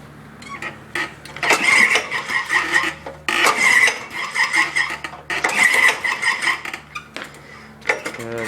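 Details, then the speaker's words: Honda HR214 mower with choke on, cold, slow to start lately despite fuel stabilizer; three recoil pulls each a brief spinning whirr dying away without firing, cranks but won't start. "and I'm part stabilizer in the fuel to which kind of pissing me off it's a pain in the ass to start like this"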